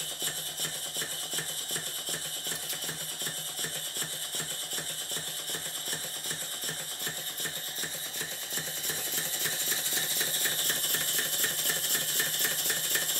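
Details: Southworth duplex boiler feed pump, glands leaking, oil in water cylinders: clacking mechanical beat around 80 a minute, slightly irregular and picking up near the end; valve timing suspected out.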